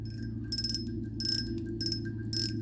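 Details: Vintage Korean-made Daiwa 100x fishing reel: short bursts of rapid bright clicks, about four as the spool is pulled, crisp and even; drag clicker working normally.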